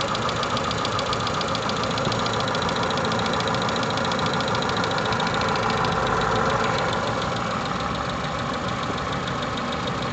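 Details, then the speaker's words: 2008 Renault Megane 2, K4M engine, at idle: a sharp, even knock about three or four times a second, heard first from the left, then slightly right, before fading away; engine knock, source not pinned down. "Сначала слева был звук, потом чуть правее. Сейчас пропал."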